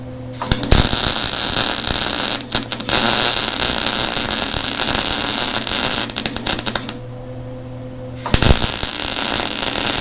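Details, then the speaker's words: Lincoln Electric Handy Mig after 6-7 months of use, welding around a poorly cut part: arc buzz breaks into irregular pops and dropouts where the joint gap is much larger, so the arc is unstable bridging the wide gap. "Now, where you can hear it kind of popping and acting kind of strange, that's where we got, like, if you can see down here, we have a much larger gap."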